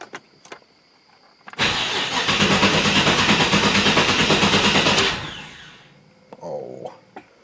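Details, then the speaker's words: 1986 C4 Corvette after installing GlowShift GS-TCD10 digital tach and HEI tach signal filter, battery charged overnight, expected 800 rpm idle: starter cranks evenly about three beats a second for several seconds, never catches; owner suspects something needs flipping around, probably on cylinder 3. "Yep. Well, I guess I will take it apart and flip that around. It's probably on cylinder 3."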